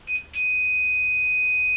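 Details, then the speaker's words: Mesa Subway Rocket amp with sound drop-out, after cleaning the headphone socket's bent-metal switch contact. A continuity tester gives a brief chirp, then a steady beep without dropouts: the switch now shows a good short circuit. "and we have we've now got a short circuit on that switch which is perfect good"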